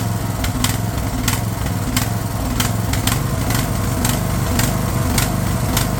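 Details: Craftsman LT1000 riding mower/tractor, fed gas of uncertain freshness, holds a steady, even single-cylinder chug with a few light ticks on top; running fine after the fuel solenoid was found cut off.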